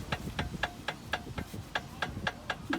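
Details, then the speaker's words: Jeep Patriot, vehicle on the ground, wheel rocked sideways by hand: sharp regular clacks about four a second from a cheap aftermarket outer tie rod end, replaced roughly a year ago and already worn, knocking. "I'm just pulling it sideways yep while it's on the ground and you could hear it you could hear the knocking sound"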